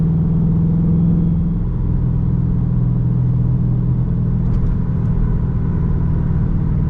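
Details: Chrysler 300 after installing a Mopar 3.09 limited-slip differential, driving at cruise: low road rumble with a faint, steady slight whine underneath, source unknown.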